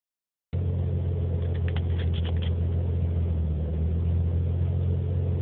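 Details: Nissan 300ZX idling rough with a deep, uneven, loping rumble. Specialists had corrected IACV, timing and TPS and said it runs very lean. Code 55. Injector replaced, O2 sensors and vacuum lines checked, sensors cleaned, still unresolved.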